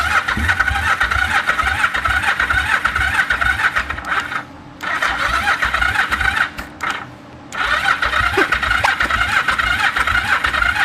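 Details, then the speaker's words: 1974 Yamaha TX500 twin after 20+ years sitting: a steady starter churn at about two beats a second with brief pauses, occasionally trying to fire. It ran shortly after; the carbs and valves need work. "It's starting to pull fuel. It's trying."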